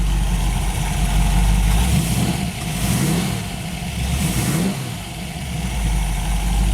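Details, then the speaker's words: 1930 Ford Model A roadster hot rod with a solid-lifter 289 V8, Shelby components and C4 automatic with shift kit, 8,307 miles: deep V8 lope with blips and a light, even tick; normal solid-lifter valve tick, healthy engine. "we're gonna fire it up and let you hear it here it is solid lifter 289 five bolt bell housing shelby components okay we've got it fired up now just reached in the door turn the key started that easy you can hear the solids in it"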